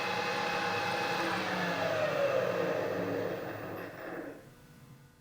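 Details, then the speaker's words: Harrison universal milling machine head after servicing, about 2,000 then 1,000 RPM: steady even whir, faint gear tone, no knocks or grinding, winding down; normal running. "that's about 2 000 RPM and that's about a thousand RPM"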